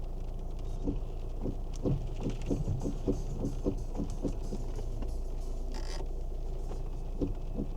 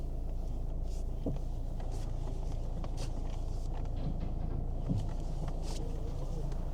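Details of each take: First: Kia Ceed, believed 2010, steering wheel being turned: low uneven lumpy thumping; worn rubber/hard plastic cog bush in steering column. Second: Kia Ceed, believed 2010, engine idling after replacing the worn steering column bush/cogwheel that caused a lumpy sound when turning: steady even idle, no clicks, knocks or grinding; steering now smooth.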